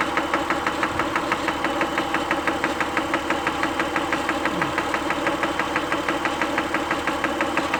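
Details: Acura engine at idle: light crisp tick repeating evenly about three times a second over quiet idle; source undetermined.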